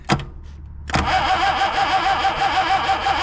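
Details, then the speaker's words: Long-sitting abandoned Mercedes Ponton 190, first crank on strong jump pack in neutral: after a click engine turns over lazily, about three chugs a second; slow cranking, owner unsure if normal for starter or starter worn, no excessive amperage. "I'm actually surprised that's it's cranking so slow because this this jump Pack's really strong and we saw easy the the engine rotated but I guess that's just the way these starters are or it's worn out"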